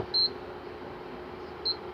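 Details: Electrolux ICP30 induction cooktop gives two short high beeps about a second and a half apart, then won't power up; its 135-degree thermal fuse is blown open.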